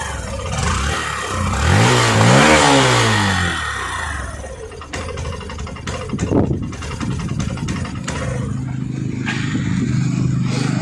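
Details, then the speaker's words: Hero Passion Pro BS6 motorcycle that starts and runs slow but chokes when throttle is given; OBD shows no faults, pickup coil ohms correct: revs climb briefly then sag and stumble to rough idle; bogging. "வந்து ஆக்ஸலேட்டர் கொடுத்தா மட்டும் வண்டி வந்து அடைக்குது."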